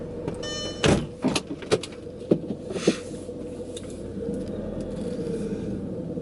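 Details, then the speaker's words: 2001 Audi TT Haldex AWD, before fluid change: crispy crackling clicks and knocks over low rumble with felt dragging, metal slippage during slow tight turn; grinding from old Haldex oil and filter, fixed by changing oil and filter. "it's a very crispy crackling not pleasant yeah rumbling and I feel like I can feel like a dragging also like some metal slippage so yeah that's what we're trying to fix"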